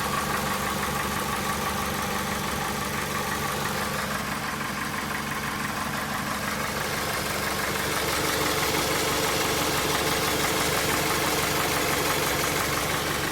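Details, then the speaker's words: 2001 Dodge Stratus 2.4 at rough, strongly vibrating idle. A knock of about three per second comes from below; long-standing and worsening. Oil level is always correct and compression is 13 in every cylinder. Engine knock, cause not yet found. "Dodge Stratus 2001 года, двигатель 2.4 EDZ. Что-то стучит. Попробуем завести."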